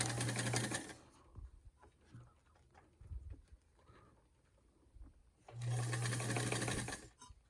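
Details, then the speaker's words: Peerless sewing machine, a Singer 15 clone with its original motor, reverse sewing with the lever pushed up: two short bursts of quick, even stitching about four per second with quiet pauses; sews cleanly and smoothly. "I'm going to reverse sew, so I've pushed that lever up."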